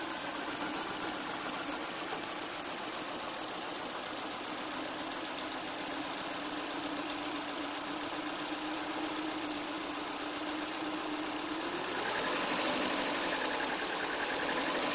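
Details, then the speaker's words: 2013 Hyundai Elantra 1.8L I4 (codes P0300/P0301/P0302) after its injector was swapped into cylinder 4: uneven, stumbling idle about four beats a second. The misfire followed the injector to cylinder 4, confirming a faulty fuel injector. "confirmation it's a fuel injector cylinder number four is now misfiring so we're either going to clean the injector or get a replacement"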